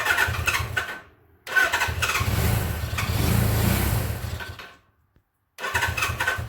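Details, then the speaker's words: 1979 Suzuki GS750 motorcycle, sitting since 1984, first start attempt with choke on; engine fires in ragged uneven bursts, catches for seconds then dies: sputtering, failing to start. "i should have said lockout switch oh listen to that it's hidden let's take chuck off it wants to almost"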